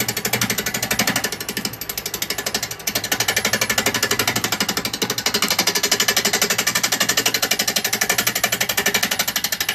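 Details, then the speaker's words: Wood lathe turning a very out-of-balance blank with a 15 mm round carbide chisel at low speed setting 7.5; rapid regular clatter about four per second over a high-pitched cut as the tool bounces on the wobbling blank. "I can't get it very fast cuz obviously it's going to wobble it's very out of balance"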